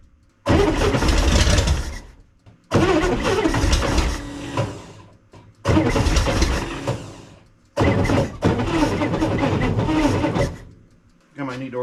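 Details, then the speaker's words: 1965 Corvair with twin carburetors, started after sitting all winter: four cranking bursts of two to three seconds each with a rough, grinding churn and no catch. Owner suspects flooding and a loose or failing starter. "that's a lot of gas definitely doesn't like that gas really floods it out try again"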